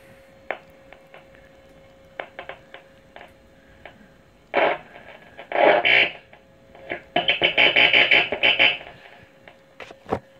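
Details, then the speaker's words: 1937 Zenith 6-S-256 tube radio during restoration, first power-up without dial belt so no station tuned: scattered crackles and hissy static bursts as tubes light up; speaker working. "Oh yeah, you can hear a bit of static now. There it is. So that's a good sign. Oh, crackly."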